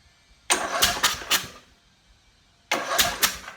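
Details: Portable generator, 4-stroke, spark plug removed, oil in the cylinder for storage: two short bursts of quick, light, even spinning with no compression chuffs; engine turns over freely, normal cranking.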